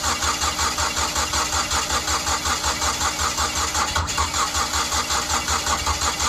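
Even cranking rhythm at about two and a half beats per second that never catches and runs; engine won't fire because timing is out.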